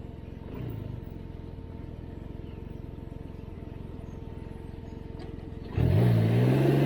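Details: Can-Am Ryker after fixing the airbox rattle by refitting the separating airbox panel with rubber foam weatherstrip tape: low, even pulsing at low revs, then a smooth rising pull under throttle, with no loose rattle from the airbox panel.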